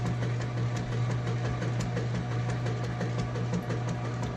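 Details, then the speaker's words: Whirlpool washer in wash cycle: steady motor hum with rhythmic churning swish about three times a second, strong and even; agitation working normally. "it's got a nice strong agitation there"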